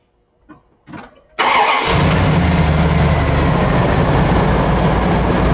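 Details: Car start after reinstalling fuel pump relay during starting system diagnosis (cranking voltage test, charging about 13.78 V); short crank, fires at once, smooth steady idle; normal start.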